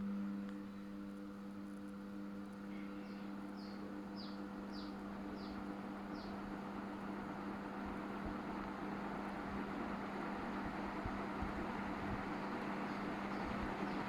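Steady low electrical hum from a running ceiling fan, with faint chirps in the background. Cause suspected, not confirmed.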